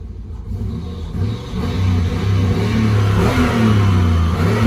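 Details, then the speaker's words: Cheap auction Impala SS with 213,727 miles, on a test drive around the block: engine revs climb and flare under throttle without the car pulling to match; the automatic transmission is slipping, transmission toast. "Yeah. So the transmission is toast in the cheap Impala SS."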